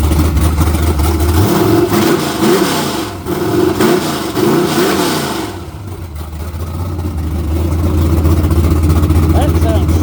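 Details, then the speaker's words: Chevrolet Camaro with naturally aspirated LS V8 on a modified HP-series carburetor with a large plenum and a cam under 240 duration: lumpy, choppy idle, then crisp revs climbing and falling cleanly; snappy, healthy engine with good ring seal. "I just can't believe how snappy that thing is with that much intake. But yeah, I've heard a lot of LSs. I've never heard one that sounded that rowdy, naturally aspirated like that."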